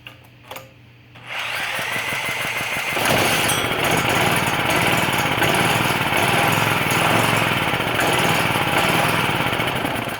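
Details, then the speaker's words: Old Champion generator unused for years, starting fluid sprayed into the air intake: after a quiet pause it catches and runs rough for several seconds, so spark is good; fuel not arriving, with stale gummed fuel in the carburetor suspected. "Okay, so that determines that there's spark and it fires. So we're not getting gas."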